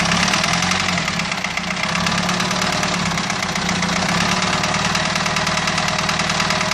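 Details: Renault 2.2 dCi diesel: harsh, fast, uneven rattling knock about three times a second over the idle; abnormal engine knock at idle, cause not determined.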